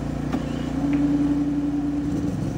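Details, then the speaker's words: Second PhilKing PK4200 gasoline generator in a parallel pair, started by remote with economy mode off for higher RPM under load; power output about 0.16-0.18; smooth constant mid-pitched drone, no hunting or knocking; normal running. "buhay na rin siya. Power output na."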